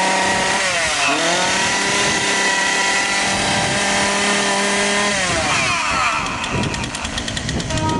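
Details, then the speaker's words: Partner 340S two-stroke chainsaw that stalled when the throttle was pressed, after cleaning a clogged muffler spark screen; revs up cleanly, holds high speed and returns to a steady idle, now running normally. "всё работает отлично холостые есть точность есть"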